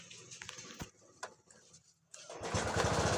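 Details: TVS XL100 Heavy Duty BS6 moped, previously dying after 6-7 km with misfire codes P1238/P1239, after full refit: cranking sputter, short pause, then it catches into a steady, even run; warning light goes out.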